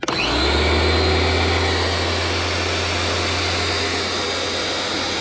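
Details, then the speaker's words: Homdox electric pressure washer at start-up in cold weather, water fed by hose from indoors: steady low motor hum with hissy rush of air spitting through the gun; normal start-up bleeding air from line. "go ahead and bleed the air out. Just, yeah, you can hear the air coming out."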